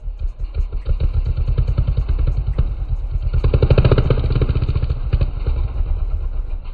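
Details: Custom Honda Grom mini bike with an Adonoly Racing exhaust, woken from storage with a cold start: fast, even popping exhaust pulses over a deep rumble, very loud and raw because the muffler's spark arrester is removed.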